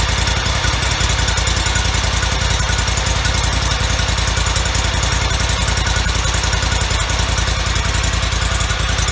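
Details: 2004 Toro Z553 mower, Kohler Command CH23 23 hp V-twin, about 453 hours, after replacing the popped-out PTO-side oil seal, some bolts left loose: even, steady chug at constant speed, no knocks or rattles; running healthy, no leaks.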